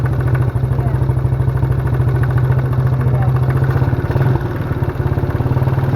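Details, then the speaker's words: Mini quad basket-case project, worn smoking engine: small single-cylinder idles evenly with faint light tap on each firing beat; knocking of unknown cause, rod knock feared, oil to be checked. "it's got an interesting sound to it almost sounds like it's knocking a little bit"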